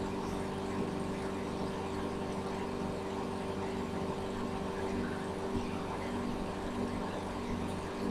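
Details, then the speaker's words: Microwave oven that switched on with the door open, due to a stuck door switch, now repaired: steady, even low hum with a constant fan whir and no buzzing or arcing while heating water for 30 seconds; running normally. "Động cơ không bật, máy phát cao tần không bật và mọi thứ đều hoàn hảo."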